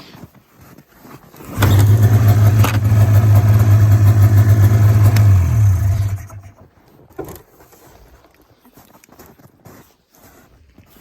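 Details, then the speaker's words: 1994 Polaris Indy 440 two-cylinder liquid-cooled snowmobile, described as clapped out: starts on the pull and settles into a steady, even buzzing run, good once warmed up, then shuts off. "there she is runs good once it's warmed up it starts first pull I'm pretty sure"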